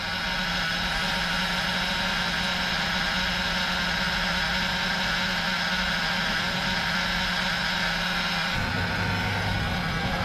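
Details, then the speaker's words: Crusader boat engine idling after the repair: injectors rebuilt and tested, rails cleaned, fuel bled of air; steady, even idle with a constant low rumble, no stumbles or misfires, settling slightly near the end, vacuum now 15 versus 12 before. "oh look at that she is running smooth"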